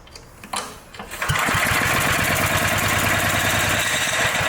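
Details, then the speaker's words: Dayton generator, unused for 30 years, cranked on its electric starter off a jumper pack with a spark tester fitted: quick, even cranking with good compression pulses but it never fires; no spark, suspected dirty or worn points, possibly the coil. "And no spark. And it cranks pretty fast. Alright, so we know that works."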